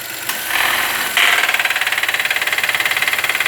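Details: 2017 VW Voyage, three-cylinder engine, 37,000 km, heard at the engine bay: idle, then a harsh rhythmic throb about four beats a second once the air conditioning is switched on; cause undetermined.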